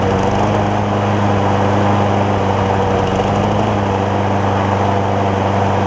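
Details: John Deere JA60 push mower, after freeing a stuck valve, with the carburettor jet opened to 9 thousandths: a steady, even single-cylinder drone with no hunting or surging. It is no longer lean, perhaps slightly rich; an 8-thousandths jet is planned next.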